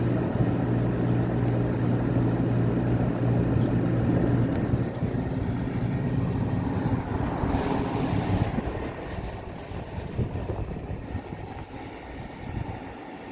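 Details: Window air conditioner installed after the central AC capacitor failed, running on high cool and high fan, room at about 76°F. Steady low fan hum with even airflow rush; the compressor is barely audible underneath. Quiet, normal running.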